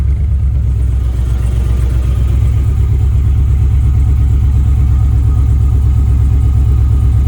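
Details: 6.0 V8-swapped Camaro restarted after tidying wiring and commanding the fuel pump on; uneven, lumpy idle with an irregular stumble about twice a second under a low rumble: misfire from crossed coil wiring.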